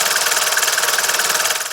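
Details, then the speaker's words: Mercedes OM601 diesel, warm, idling after a Lavr engine flush and hydraulic lifter replacement. The cold lifter tick that followed low oil is gone. Slightly rough idle with a faint uneven pulse remains; injectors are suspected and pressure still needs checking. "Но все равно мне не нравится, что его немного подколбашивает. Дизелисты подсказали, что скорее всего форсунки."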